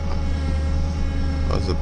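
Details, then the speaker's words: Truck on a cold start early in the morning after a snow storm: a steady low drone with a faint higher whine on top, never heard before; the humming is suspected to come from the power steering, especially when returning the wheel. "oh what is that sound that doesn't sound very good first time I've had that huh there we go cold weather all symptoms all things come loose never had that before that's creepy"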